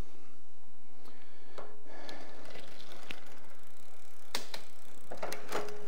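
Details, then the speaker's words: KBO cruiser e-bike with 500 W motor, rear wheel lifted and pedalled after derailleur indexer adjustment: only light click of each shift and soft freewheel tick, no grinding or chatter through second to fifth gear; quiet shifting. "second gear no noise third gear no noise fourth gear no noise fifth gear no noise"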